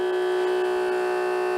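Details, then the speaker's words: Water pump on weak battery reading 12.27 V: steady mid-pitched whine not rising, pumping slowly; unclear whether the old pump or weak battery is failing. "Either my pump is dying or my battery is dying. Let me check. Wow. Wow. Sounds like one of them's dying."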